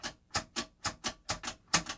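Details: 1956-era clock radio during teardown, radio/alarm/sleep push button worked by hand: firm sharp mechanical clicks about every quarter second; robust, solid switch action, nothing loose. Normal switch click.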